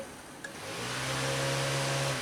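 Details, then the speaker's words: 2000 Honda Civic LX with overheating history: the electric cooling fan clicks on and spins up to a smooth, steady whoosh when the relay terminals are jumped with a paper clip. This confirms the wiring, power, ground, fan and relay work; the fan switch is untested. "that fan is coming on. So that verifies that our wiring, our power, our ground, our cooling fan, and our relay all work with that one simple paper clip."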